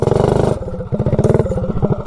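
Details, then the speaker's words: Predator 224 engine on a GTS minibike with a cheap generic 16-tooth centrifugal clutch, road-tested: when the throttle opens the drive shudders in rapid, jerky pulses about a dozen a second; the clutch grabs choppily, unlike the smooth Max Torque clutch. "I mean it grabs but it's kind of choppy yeah even the max torque when it was brand new it grabbed really smooth right right from the beginning"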